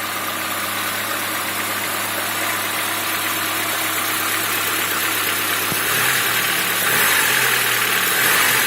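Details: Lada Niva engine at steady idle with a regular tapping knock, then a few light revs near the end; knock inside the engine, cause unclear.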